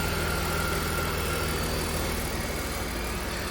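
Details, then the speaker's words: Long-abandoned 2004 BMW E46 325i Touring, jump-started on low petrol: steady, even idle with a smooth low beat about four per second, no knocks or misses; healthy. "first time start. Okay, there's not much petrol in it. It sounds so good. I think it's worth saving."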